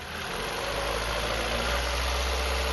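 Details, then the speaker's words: Ford New Fiesta 1.6 Sigma, known for cold-engine piston skirt slap: knock heard on deceleration disappears when held above 2000 rpm, engine humming evenly, indicating a bottom-end (piston slap) noise rather than cylinder head. "sobe para acima de 2000 aí já sumiu o barulho ó acima de 2000 acelerando pessoal e o barulho sumir é parte de baixo"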